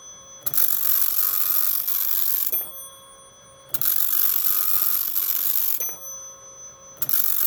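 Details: Teletype Model 43 teleprinter, freshly serviced and lubricated, on its printer test after a new-old-stock ribbon replaced the shredded one: even bursts of rapid clatter about two seconds long with short clean pauses, no binding or skipping; normal printing.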